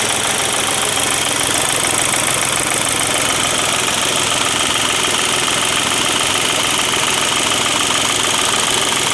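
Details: Volkswagen diesel idling after its injection pump was reinstalled with the broken internal spring replaced by a pump shop. Steady idle with even, regular injector clatter at about 3.5 beats a second, no stumbling or misses; runs healthy.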